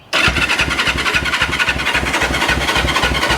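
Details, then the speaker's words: 1974 Honda CL450, first start attempt after 25 years stored, with fuel in it and battery on a charger: steady cranking about four pulses a second with a few brief catches that never run on their own; air boxes checked next, cause not confirmed. "hey oh that's getting there oh that's wanting to come on turn that off"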